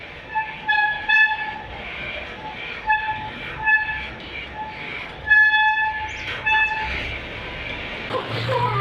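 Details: Oggi 7.3 mountain bike with a Shimano Deore M6000 hydraulic rear disc brake: repeated short honking squeals near 850 Hz with ringing overtones on each application; owner suspects oil contamination of pads and disc after a bleed.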